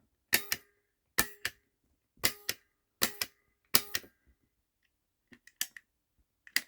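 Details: Merlin Gerin/Schneider TL 16A Multi 9 impulse relay (ref. 15432), wired and tested with a push button: crisp paired clicks about once a second, each press sounding the same. The relay switches cleanly.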